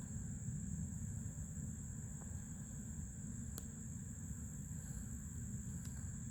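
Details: New Fluidmaster 400A toilet fill valve refilling the tank: thin, steady high whistle over a low rushing water sound throughout. Noisy fill valve.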